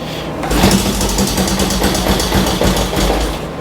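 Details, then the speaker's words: 1965 Honda CL77 305 Scrambler twin, restored, not run in several years, kick-started with choke on after tightening spark plugs: fires and runs with quick uneven patter about three seconds, then dies; brief start then stall. "whoa this thing hasn't run in who knows how long and it did just run a little bit let's go ahead and do it again"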